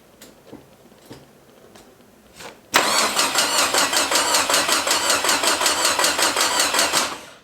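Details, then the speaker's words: Forgotten Datsun convertible in a freezing shop, new starter fitted and oil pump primed, test crank with no fuel hooked up: starter spins engine at an even chug about two or three beats a second but never catches; crank no-start, no fuel. "you know what's going to make this work a lot better gas"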